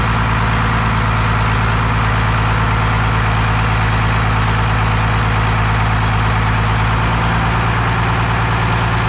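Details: 12-valve Cummins diesel on an engine stand out of the truck, first run after a rebuild for glazed cylinders (very low mileage, cause unknown; deglazed). Deep, steady idle with an even low chug, no knocks or misses; healthy and settled.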